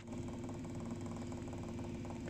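A steady low motor hum with a fast, uneven mechanical knocking running through it, from a heating circulator pump.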